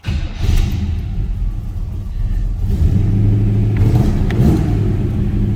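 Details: 1941 Chevrolet Super Deluxe Coupe street rod, 350 V8, cold start: short crank, fires right up and climbs to steady fast idle with even rumbling beat; healthy cold start.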